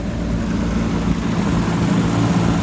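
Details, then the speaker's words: BMW E34 M5 with 336,000 miles, started on a jump box after sitting about 8 months in flooded woods. A loud, even idle with a steady low drone and fan rush, no ticking or stumbling. It sounds healthy: normal idle. "This thing sounds healthy. It sounds fine. It doesn't even sound as if it's been sitting here for like 8 months."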